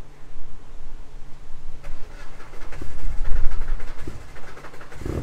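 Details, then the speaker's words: Opel Astra GSi Z20LET turbo, 500+ hp, cold restart with no throttle response: catches roughly, stumbles and surges unevenly, massively overfueling because the tune's load map is all over the place; wants to die off throttle. "Hear that? Massively overfueling, load map is all over the place."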